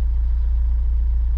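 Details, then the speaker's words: Chevrolet Niva after an air leak found with a homemade smoke generator and fixed; low, even idle thrum with a steady pulse, some slight wavering noted — idle now smooth, normal. "Ну слушайте конечно ровнее ровнее стал работать мотор есть какое-то колыхание"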